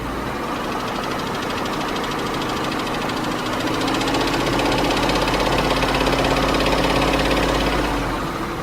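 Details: 2001 Lincoln Navigator, 5.4 Triton V8, idling: a fast, steady tapping of about three taps a second rides over the exhaust drone. Ticking of unknown cause.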